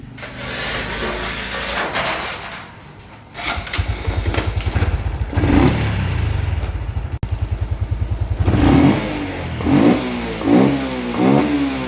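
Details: 2014 Honda Wave110i after fuel injector replacement (air filter also replaced, valves checked normal): crisp, even exhaust pulses and clean throttle blips that rise and fall quickly without stumbling; normal revving.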